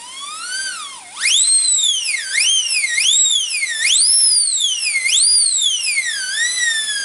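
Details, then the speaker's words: Slot car motor after refitting, gears run in by pushing the axle sideways at about six volts: a high, clean whine that swoops with the throttle, with no grinding. The gear mesh is now very smooth. "that just pushing the X all over running the gazing really makes the mesh very smooth"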